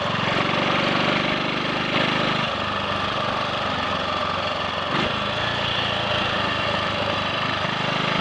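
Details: Triumph Sports Cub single-cylinder on a road run after a thorough fuel-tank clean-out and a protruded-electrode plug: steady even thump pulling cleanly through throttle changes, no misfire or cutting out; slight hesitation at 1/2–3/4 throttle, owner suspects crud on carb needle.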